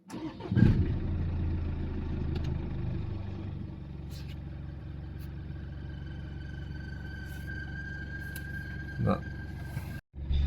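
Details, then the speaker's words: Jaguar XE Ingenium diesel after fuel filter replacement: brief crank, catches, settles into steady idle; faint high whistle comes and fades, attributed to water at the radiator; no errors, runs fine. "c'est bon c'est de l'eau que c'était mis au niveau du radiateur donc ça c'est réglé c'était rien là la voiture tourne bien elle a son régime pas d'erreur au niveau du truc"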